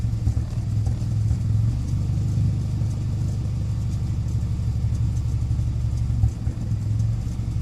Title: 2008 Evo X Rough Idle